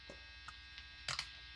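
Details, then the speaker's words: Fender Player II Modified Stratocaster with distortion on: steady buzzing mains hum with a bright edge and clicks from the neck single-coil pickup; the middle position is quieter. "I think we're just getting a little bit of some static in the air or something like that. Oh, yeah, and there's the hum from the neck."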